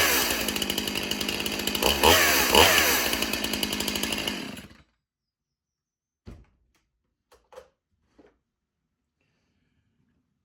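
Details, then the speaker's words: Stihl MS361 Farm Boss chainsaw, not held wide open: runs loud and rattly for a few seconds then stops; chain sitting on the wrong, mismatched drive sprocket. "You hear You hear that loud noise? Do you hear that? That is the wrong sprocket that chain is setting on."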